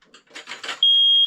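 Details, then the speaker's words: Newly replaced basement smoke alarm on test: after some handling, one piercing high-pitched beep rings out clean and steady; the alarm sounds normally. "basement smokey is good"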